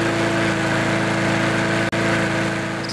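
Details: Briggs & Stratton lawnmower engine with Pulsa Prime carburetor, after reassembling the carburetor and refuelling: steady, even small-engine drone at constant speed without surging or stumbling; normal running after repair.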